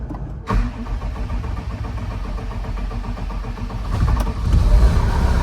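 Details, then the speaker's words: Case TR310B skid steer diesel at its 100-hour service, started after oil, fuel filter and fuel/water separator changes; catches after brief crank and holds steady even idle over a minute without stalling, so no air in fuel system: normal idle. "And if there was air in there, it would have shut down within that minute."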